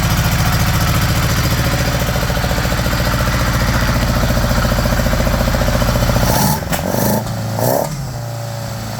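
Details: 1975 Honda GL1000 Gold Wing flat-four, cold first start after water pump re-seal with new gaskets and O-rings: settles into even, quick idle, a touch high on choke, no knocks or ticks; no leaks, much less smoke.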